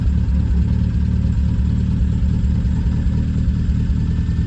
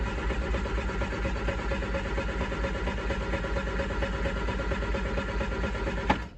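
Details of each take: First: Triumph Spitfire with points ignition, idling while warming up with the choke fully closed after a plug lead was refitted; low, even idle beat with no skipped firings, running smoothly. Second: Triumph Spitfire after a distributor part was replaced, cranked in neutral with full choke after sitting a few days: steady starter churn at about two beats a second, pause, more cranking, no firing. Plugs carbon-fouled.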